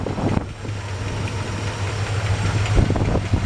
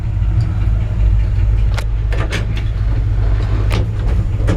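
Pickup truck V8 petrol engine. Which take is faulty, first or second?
first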